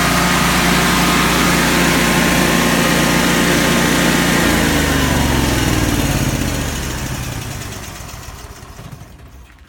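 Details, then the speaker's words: Kohler 17kW propane standby generator, about 293 hours, after repairs, uses no oil; starts and settles into a steady, even drone with a smooth regular beat, then shuts down and spins to a stop; produces 240 volts at 60 Hz, normal run. "unit produces 240 volts at 60 Hertz very solid little unit for sale today"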